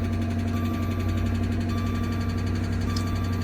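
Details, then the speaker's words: 2013 Dodge Charger police car, wrecked, first start with another battery box: steady low idle drone with uneven lumpy pulse, sounds terrible and runs rough; owner suspects cracked radiator or coolant leak from a hose. "I honestly haven't pressed this yet, but let me go with that again. That sounds terrible."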